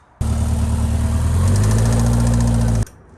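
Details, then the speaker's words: Mitsubishi 4G63T engine after a dyno session, short rev with a deep, uneven knock of about four beats a second; it persisted after swapping to solid lifters, and the drained oil showed shimmering metal, so a spun rod bearing is suspected. "I'm gonna say this is our spun bearing. I came here the other day with Brian and we switched out the lifters to solid lifters, and unfortunately we're still making the sound."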